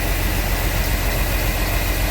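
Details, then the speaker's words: 1997 Chevy Blazer 4.3 V6, about 140,000 miles, after replacing worn distributor cap and rotor for no-spark no-start: steady, smooth idle, no misses; running fine. "that was it and she fired right up we thought maybe we'd have the a fuel pump fuel pump issue or something like that"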